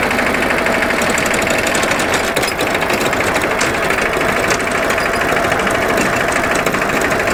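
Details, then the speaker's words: Dennis Premier diesel mower after gearbox rebuild with the original output gear refitted, drive engaged at very light load on level ground: steady diesel clatter, even drive note, loud gearbox howl gone; may return after longer use or on slopes. "well first signs are very promising that very loud howl has gone away now i don't know if it's going to come back after a few minutes of use"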